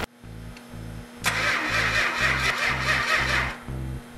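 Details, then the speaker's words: 440 with original six-pack carburetion, first start attempt with fuel pump on: starter chugs evenly about two beats a second without firing; no spark due to faulty ignition coil. "yeah we got no spark the fact that the 440 didn't fire right off is because of a faulty coil"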